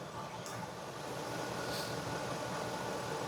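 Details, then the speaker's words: 2017 Ford E-450 with 6.2 L V8, after repairing P0301/P0306 cylinder 1 and 6 misfires: quiet, even idle with no stumble or dropped beats, no misfire shown; normal idle. "vamos a ver como pueden ver está excelente excelente verdad no tengo ningún mi fire en este momento cierto"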